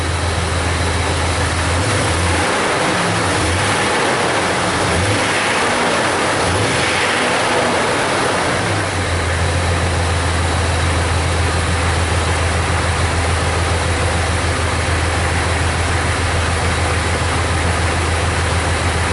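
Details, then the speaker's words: 2000 Jeep Cherokee Classic, 4.0 inline-six, about 130,000 miles, P0300/P0306, idling not fully warm: lumpy, uneven pulse that stumbles on a light throttle blip. Scan tool counts misfires on cylinder 6, the rearmost cylinder, which is not firing. "try that again yeah so definitely number number six here seems to be our problem child"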